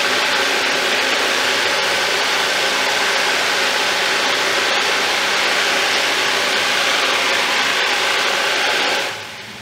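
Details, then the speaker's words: Thumlers UV18 vibratory tumbler, a little over half rocks plus ceramic media, water and 4 scoops 120-220 grit: steady even hiss and rattle of churning stones, no knocks or surges; normal running. "Alright, that is the kind of movement you want to see. Everything's looking good right now."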